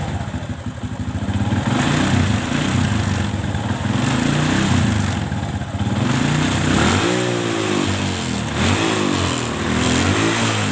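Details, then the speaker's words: Kawasaki ZX with a carburetor problem, fine at idle but revved hard: the engine revs up unevenly, then stumbles and sags as throttle opens, rough and lacking power at high rpm and may die; owner suspects carb or spark plug cap, unconfirmed. "karena motor ini RPM tinggi motor ini malah melepek atau malah mati oke"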